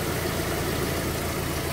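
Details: Fiat Palio, just started after a full service (new engine mount, timing belts, accessory belt, clutch, engine washed): steady, even idle with a smooth low hum, no knocks, ticks or hunting, idling healthy.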